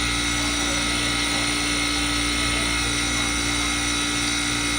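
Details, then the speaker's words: Manitowoc commercial ice machine in a cafe, heard clearly with vent hoods off: loud steady whirring with high sustained tones and even hum underneath, no knocking or grinding; running normally. "Oh yeah, I can hear it really well with the vent herders off. Really loud."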